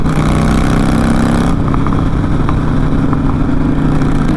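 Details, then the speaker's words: Harley-Davidson V-twin being ridden with both front-cylinder exhaust header nuts missing: loud, raspy rumble with coarse popping, worse under hard acceleration; exhaust leak, fixed later with new nuts. "i just can't get over how obnoxious this bike sounds right now"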